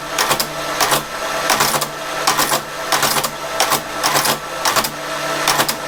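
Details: Creed 7B Mark 1 teleprinter, carriage just refitted (a part too close to paper): loud mechanical chatter with clatter bursts about twice a second as carriage steps; mechanism working, characters reaching paper.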